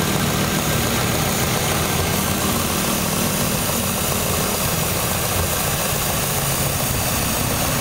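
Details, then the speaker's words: Car that vibrates, with codes P0171 lean and P2101 throttle actuator, short-term trim about +34, heard near the intake: uneven shaky loping idle with a steady airy hiss; intake vacuum leak, later confirmed as a large leak by smoke machine. "Tal parece que se oye una fuga de vacío de este lado a esto en México le decimos está chupando aire"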